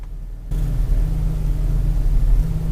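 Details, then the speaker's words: 2003 Mazda Tribute V6 ES after PCV valve replacement, idling in Drive: low rumbling idle holding fairly steady around eight hundred rpm but with slight, less frequent surges; rough, unstable idle, cause still unknown. "yeah so I don't know what it's doing now it's just doing the same thing although not as frequently it's holding steady at about eight something it doesn't seem to be jumping around nearly as badly as often"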